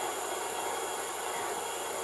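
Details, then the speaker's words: MTH #57 Propane Turbine (Proto 2.0, 2001) model locomotive with two smoke units: steady high hissing whir with a thin constant tone; the working rear smoke unit's fan motor is the noisy part, later replaced. "it's the one that's working it's actually making the noise"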